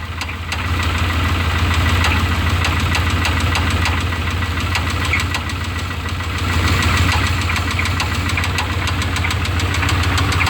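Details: 1988 Chevrolet C1500 Silverado 305 V8 before an oil change: sharp, steady knock about three times a second over a rough idle, from deep in the engine; source unknown.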